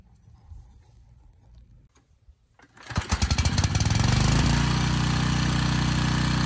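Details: Briggs & Stratton Storm Responder generator repowered with a replacement 10 HP Briggs engine, during load testing around 3000–4500 W: it catches after a few pulls and runs evenly with loose metallic chatter. The starter assembly is rattling on the engine, not the engine itself.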